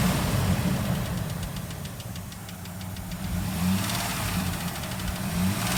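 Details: 2004 Dodge Dakota 3.7 V6 at idle: faint, quick light ticking over a steady idle at about four per second, heard up to 3000 rpm and gone above; present for almost a year, cause unknown, shop said it is not the engine.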